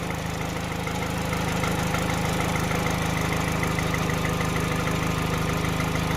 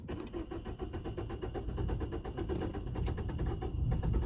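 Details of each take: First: 2012 Peugeot 208 1.4 VTi after repair and adaptive relearn, bonnet being opened, warming up toward 90°C: steady, even idle with a smooth low pulse, no stumble or hunting, running spot on. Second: 2012 Peugeot 208 1.4 VTi with a complaint of hard starting and stalling, no fault codes, first start in the workshop: steady starter cranking at about four beats a second that never catches, a long hard-start crank.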